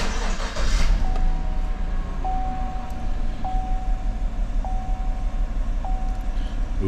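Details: 2014 GMC truck 5.3L V8 at 81,000 miles idles with an uneven, lumpy beat as cylinder #1 misfires; plug swap didn't move it, coil #1 gave no spark, so the ignition coil is faulty.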